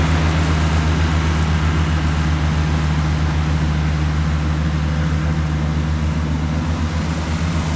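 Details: Cushman front-deck diesel mower, bought as scrap with a supposedly bad hydraulic pump, tires freshly aired up, mowing grass: steady, even diesel thrum with deep regular beat, no knocks or rattles, pulling its load cleanly; normal running under load.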